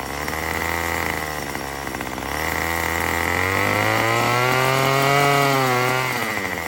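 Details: Murray M2500 two-stroke trimmer after new carburetor kit and fuel lines: buzz climbs but falls short of full revs and sags under throttle; still bogs, owner suspects mixture adjustment needed; lean high-speed mixture causing bog.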